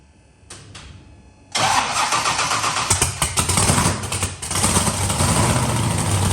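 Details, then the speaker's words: Engine that is sometimes hard to start, timing ideally 32 degrees, owner suspects timing slipped: starter whirs briefly, then catches and settles into a rough, uneven, lumpy idle; reluctant to fire, cause suspected, not confirmed. "but the way it's starting it's quite hard to start it sometimes so I think the timing might have slipped a little bit"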